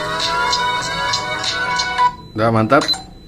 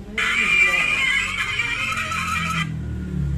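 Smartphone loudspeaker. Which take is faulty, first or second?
second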